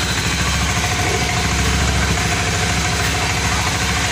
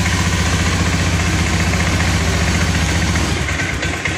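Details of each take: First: Honda Scoopy ESP (fuel-injected automatic) after tank draining/cleaning, idling just after start with fuel pump pressure at 30; steady even putter, no stumbles or surging; considered still normal and stable. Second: Honda Scoopy ESP FI automatic sputtering after tank cleaning, on external fuel supply at normal pressure, EOT sensor connected, no MIL blinking; idles but sags and stumbles on throttle, won't rev; clogged injector suspected.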